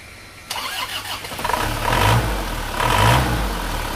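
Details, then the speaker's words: Isuzu Panther diesel after the clogged PCV valve in the valve cover was repaired: it cranks briefly, catches and settles into a steady low idle, with no more hissing and no air pressure at the dipstick or oil filler. "Lihat teman-teman, suara mendesisnya sudah hilang, jadi sudah tidak keluar suara mendesis lagi. Jadi suaranya sudah normal."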